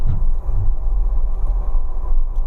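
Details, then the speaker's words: Car driven slowly at 7–10 km/h, noise from the front left: a deep, steady drone or rumble without gritty wheel-bearing growl; not a wheel bearing, gearbox gears suspected but unconfirmed. "Oh, ini memang sepertinya bukan suara bearing ya. ya bukan being. Dia memang cenderung dengung, gemuruh gitu ya, Pak ya."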